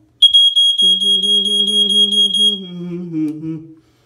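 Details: Early-1990s Ventek/Visual Alert FA100 smoke alarm/strobe: piercing steady high-pitched horn holds about two seconds then dies away; the unit repeatedly activates, sounds and flashes, then stops, so the horn cuts out intermittently.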